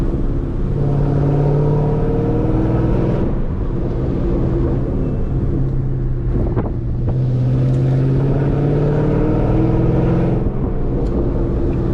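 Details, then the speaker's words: Dodge Scat Pack V8 on a canyon drive with Corsa exhaust and newly installed MFER1 active exhaust valve openers holding the valves open: loud, deep drone swelling and easing with throttle, free of rattles or leaks. Normal open-valve exhaust. "so you hear that corsa working with the new mfer1 active exhaust valve openers just installed"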